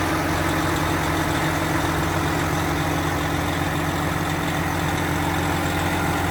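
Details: Freshly rebuilt 12.7 L Detroit Series 60 diesel, after electronic runaway traced to possible moisture arcing harness pin connectors and cleaned: even, steady idle with smooth low rumble, no knocks, surging or misses. Normal idle.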